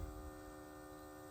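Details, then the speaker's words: Bobcat Pioneer (Club Car Carryall) UTV with old fuel, after persuasive hits on the electric fuel pump: faint steady electric hum at even pitch; pump now running. "couple persu persuasive swings on the uh fuel pump and I was actually getting start pumping"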